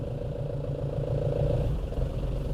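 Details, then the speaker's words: Nissan Frontier after clutch replacement, road test pulling away: engine note rises evenly under light load with no judder, chatter or rattle; earlier pedal noise apparently gone, cause apparently the clutch disc, not the dual-mass flywheel. "resolveu ficou macia O ruim do aparentemente parou ainda não escutou mais Tudo indica que era o disco da embreagem não era volante de Março"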